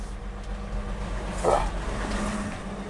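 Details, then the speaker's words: 1960 Ford 223 inline six in a truck, cold start with choke: low, steady idle with an even beat and no top-end ticking after torquing the rocker cover bolts; lifter tick gone, slight valve noise remains, normal cold idle. "i did that and it worked that is off i mean it still makes a little bit of noise but that's the uh that's the valves"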